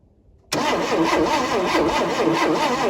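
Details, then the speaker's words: 1971 Chevy Nova cranking with fuel poured down the carburetor: steady starter whir with even compression pulses, never catches; cranks but no start, no spark, points to be checked. "Okay, so we have no spark."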